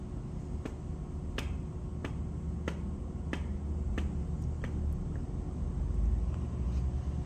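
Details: Toyota Vios at idle after replacing a noisy AC compressor magnetic clutch, refitted with the needed washer so it doesn't sit too close: sharp even clicks about 1.5 per second over low idle rumble as the clutch engages.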